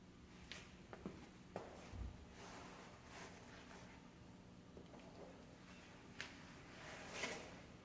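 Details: JNH Lifestyles Zero EMF far-infrared sauna, noisy after about two months of use, heating up with some panels removed for testing: irregular sharp ticks and soft knocks every second or so; owner suspects a part expanding and moving violently.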